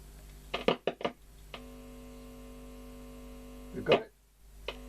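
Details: Philips EL3510 (AG8107) valve tape recorder after a dry joint was repaired: a few probe clicks, then a steady low mains buzz from the speaker when the volume control is touched, so the audio path is working.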